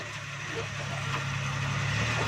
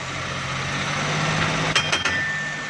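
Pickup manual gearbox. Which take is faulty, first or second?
second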